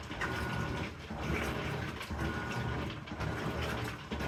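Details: Amana washer model NTW4519JW3, bought new July 17, 2023, under warranty: dry busy crackle over a low churning rumble swelling about once a second during the agitation cycle, cause unknown.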